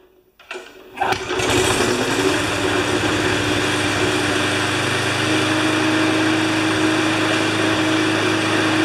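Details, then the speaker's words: Briggs Pulsa Prime carburetor engine, crankcase ventilation hose off: catches after a couple of pulls and settles into an even, steady buzz with no stumbling; normal running. "okay that's absolutely perfect it started up"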